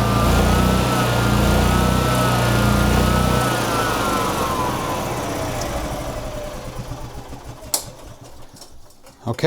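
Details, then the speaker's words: 2011 EZ-GO TXT gas golf cart, reassembled after a crank-no-start: the single-cylinder engine buzzes high and steady at full governed speed, governor set to maximum, then its pitch sinks as it winds down and stops. "it runs and they also have the governor cranked to the max I'm not touching it because if I do I'm slowing it down"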